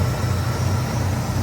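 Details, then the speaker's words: 1971 Oldsmobile Delta 88 Royale V8 warming up after a remanufactured Rochester 2-jet carburetor replaced one with stripped threads: deep, even idle with no stumble, misses or popping and no longer running rich; normal idle. "This thing's running like a dream. >> Listen to this. >> And that's just with the little things that we did. I don't hear anything but beautiful exhaust."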